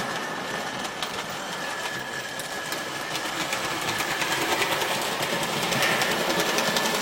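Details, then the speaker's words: OO gauge 3-rail Dublo Royal Scot loco, converted from 2-rail Wrenn model, hauling old 3-rail coaches: fast, fairly regular light clicking over motor hum; owner suspects something in the motion catching, thinks not fatal. "try I think I'm gonna have a loco back into the servicing cradle and see if I can figure out why it's making such clicky noises when it runs because I don't really like that very much I don't think it's anything fatal but you know I don't know whether something in emotions catching or what it is"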